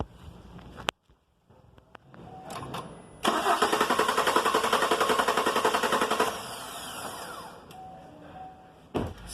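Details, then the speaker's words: 2019 Chevrolet Silverado crew cab, 4.2 L V6 gasoline: starter cranks evenly about three seconds but engine never catches; spark confirmed present, no fuel from the fuel line when cranking, so the fuel pump has failed. "I try to crank Lets check fuel coming out from the fuel pipe Nothing fuel coming out Its mean The fuel pump has problem"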